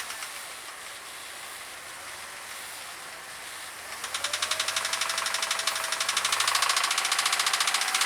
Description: Jeep Grand Cherokee makes noise from the engine. Sound like a Ticking or Knocking sound. Tapping from somewhere around the motor.